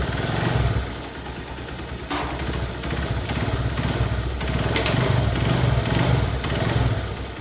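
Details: Honda Verza 150 single-cylinder idling steadily and evenly with no knocks or rattles after the worn, hardened, loose clutch damper rubbers were replaced and the engine reassembled; normal idle.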